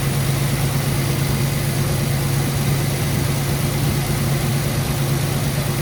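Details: 1968 Ford Country Sedan, V8 of unknown size (360 or 390), first revival start on a borrowed battery, revved to 2K with 60 psi oil pressure and climbing. Ignition untimed, plugs ungapped. Steady, even low rumble with no knocks or misses: normal running.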